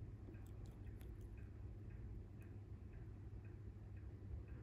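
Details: Vintage mechanical wristwatch, ETA-based Rado movement in a large green-dial case, running: faint, regular fast ticking over quiet room hum; healthy, evenly running movement.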